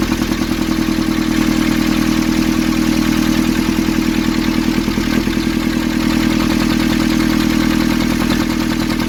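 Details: Nissan Urvan ZD30 diesel, after a no-start repair in which a soot-clogged part was cleaned and refitted: steady, even idle with a regular light clatter of about 200 beats a minute, no misses or knocks; runs normally.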